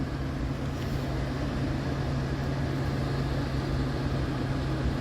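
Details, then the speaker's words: Geothermal heat pump after blower motor replacement, water loop running, fan ramping to high speed: smooth steady air rush over constant low hum, no rubbing, ticking or clattering; blower running healthy. "she's going to ramp up There She Goes going the highspeed ramp on oh she sounds good sounds good"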